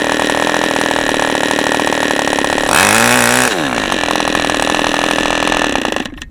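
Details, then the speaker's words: OS 40 FP glow engine, first run on a stand, 11x5 prop, OS #8 plug, 5% castor/synthetic fuel, after the air bleed screw was opened and the idle screw adjusted; slightly uneven burbling idle, a brief rev surge and back; low end still rich. "So we're still a little rich. So I was right, going the right direction."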